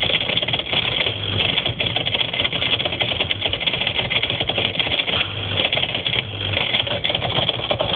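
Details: Whirlpool ADG 7540 dishwasher, heard from underneath: a fast, continuous clattering buzz over the running motor shakes the right-angle rubber hose and heater. It was solved by removing and replacing the failing pump.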